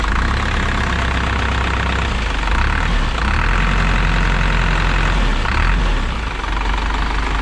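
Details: 2000 Isuzu NPR turbo diesel, abandoned truck restarted after a year with new batteries, nothing leaking: deep, steady diesel clatter at an even idle with a brief light rev that settles cleanly; normal diesel idle.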